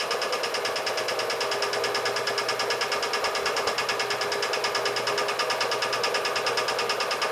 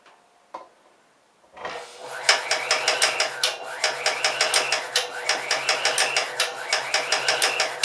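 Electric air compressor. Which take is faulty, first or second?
second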